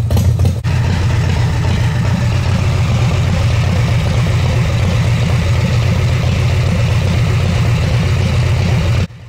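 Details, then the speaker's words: Harley-Davidson shovelhead/evo-style V-twin with Daytona Twin Tec electronic ignition, at idle during timing-light check (timing retarded at idle, advances by about 1500 rpm): loud, deep, loping, slightly uneven idle at steady speed, no knocks or ticks; normal idle. "And the reason it's doing that is because we're at idle speed right now."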